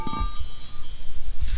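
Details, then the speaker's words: Crankshaft out of the engine, held by three fingers and tapped with a ball peen hammer: each tap gives a clear sustained metallic ring, suggesting an uncracked crank; rough home check, not a substitute for magnaflux. "You can get a really good audio ring. Hear how good that's ringing?"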